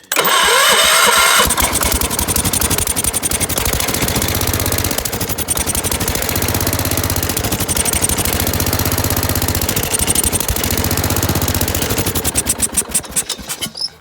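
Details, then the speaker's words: Gravely tractor right after cleaning the points to restore spark, with the plug also cleaned and carb cleaner sprayed in. Fast cranking churn around four beats a second with ragged catches that never hold. Cranks but won't start; owner suspects the carburetor. "So let's clean them points and maybe we'll fire it up. I think the points are clean now. And let's see if we get any spark now. Now just why won't it start is the question."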